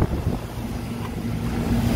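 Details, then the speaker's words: Carrier rooftop unit compressor that would not start, now running after bypassing a bad outdoor air sensor by wire-nutting its two wires together as a temporary fix; steady low even hum, no clatter, normal operation. "probably get this panel back on but the compressor is running now"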